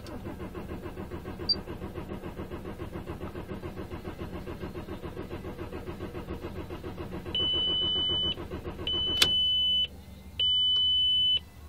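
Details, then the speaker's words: 2001 VW Passat 3BG 1.9 TDI 96kW 4Motion diesel, died after shaking with revs hunting 600–900 rpm at idle: even starter cranking about seven seconds without catching, then warning chimes; crank no start caused by blown fuel pump fuse. "so let's see it won't start it just won't start I don't know what it is you will see"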